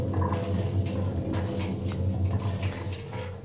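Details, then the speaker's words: Washing machine drum spun by hand: a steady, rough low grinding rumble from badly worn drum bearings. A machine with near-new bearings is virtually silent. "you can hear it makes quite a noticeable sort of grinding noise"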